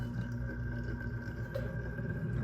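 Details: Hunter C17 antique ceiling fan motor before restoration, drawing about 1.8 A: steady hum with thin whine and rough, uneven rattle, suspected worn thrust bearing under downward load; a new old stock Edna F8 bearing is planned.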